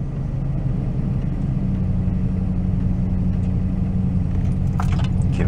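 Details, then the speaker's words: 2004 Toyota Tundra V8 idling: low, uneven rumble that stumbles and shakes, running very rough when idle kicks down; scanner shows random multiple-cylinder misfire plus O2 sensor codes. "if that goes to kick down it runs very rough idles very wrong i can feel it right now if i'm hitting it he's breaking up"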